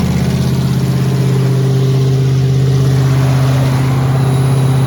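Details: 1986 Ford F150 with solid axle swap, cold started while its coolant system is refilled after a flush: engine catches and settles into a steady, even low rumble with no knocks or misses. Healthy cold idle.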